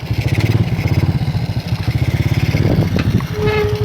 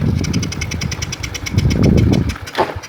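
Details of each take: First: Karisma motorcycle being repaired for sudden stalling, ridden in fourth gear: strong, steady thumping exhaust pulls evenly and smoothly without cutting out; acceleration smooth and stable, normal running. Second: Karisma motorcycle that dies suddenly after being ridden briefly but restarts quickly: uneven, ragged firing falters when throttle is opened, then engine dies; cause found to be shorted ignition coil cutting spark.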